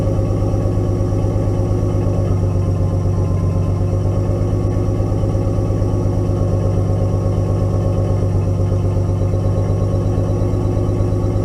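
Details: RB20DET inline-six in a 240SX S13 build: uneven, lumpy idle with a regular stumble, seemingly running on 5 cylinders; owner suspects a bad ignition coil, not confirmed; misfire.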